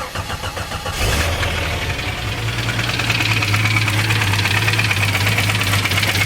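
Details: 1989 Jeep Cherokee XJ Renix 4.6L stroker I6, AW4: engine started with valve cover off after a running-hot episode; steady idle with sharp fast ticking knock, cause unconfirmed, owner suspects cylinder 6 valvetrain.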